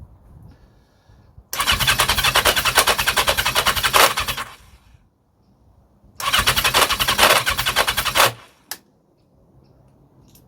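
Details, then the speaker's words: 1982 Yamaha XJ750, stopped running, low but equal compression on all four cylinders: two bursts of fast, even starter cranking with no firing; cranks but will not start, cause unknown. "yeah so it's low compression but it's not terminal and that is common across all four which means it's [ __ ] across the board I suppose but that's not a new thing it's just stopped playing um and I have absolutely no no idea why"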